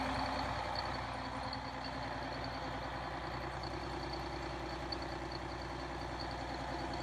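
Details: Detroit Diesel 6V92 two-stroke in MC9 bus, cold start in late October (engine around 39–40°F): after more throttle all cylinders fire, giving a steady, even drone with high blower whistle; owner suspects leaking/clogged injectors or stuck rings.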